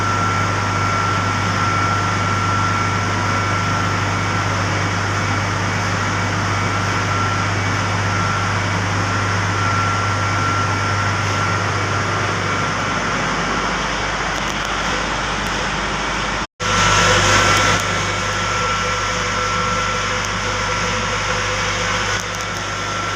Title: FCU MOTOR DE COUPLE ABNORMAL SOUND BEARING PROBLEM JSW POWER PLANT #vlog vedyadav vlog #